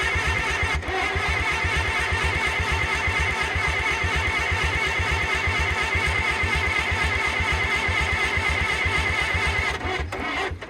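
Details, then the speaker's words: IH tractor engine with the oil pump reinstalled, cranked on the starter to check oil flow; steady, even cranking at about two beats a second without firing, turning over freely. Oil pressure then shows on the gauge. "I guess I'll just spin it over some and see if it's oil flowing."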